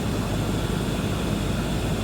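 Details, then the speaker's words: Lexus LS460 (possibly 2008), about 200,000 miles, after replacing the noisy failing blower motor with a new customer-supplied unit: steady, even rush of air at full blast with no squeal, rattle or wobble; the blower sounds healthy. "Oh yeah, that sounds so much better. So much better. How do I turn this thing up? I guess I don't have to. It seems like it's on full blast."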